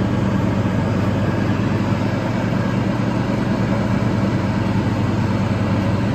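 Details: Toro TimeCutter 5000 zero-turn mower after maintenance with the deck refitted, leaf-clearing test run: steady, even low drone under mowing load, no misses, surging or knocking; healthy.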